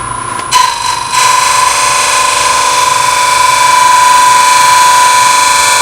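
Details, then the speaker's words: Open segment vessel on lathe, back on oak after bloodwood layer; very light cuts with a narrow negative rake scraper, steady motor hum and even shaving hiss with no chatter – smooth light scraper cut, preferred sound. "it's looking pretty good but now those cuts are very light this is a narrow negative rake scraper seems to be doing the better job so back to it"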